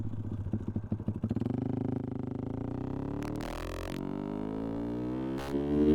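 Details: 125 cc motorcycle after a trip and a week parked, valves not yet adjusted: quick, regular ticking over the engine that speeds up pulling away in first gear; loud valve clatter from excessive valve clearance.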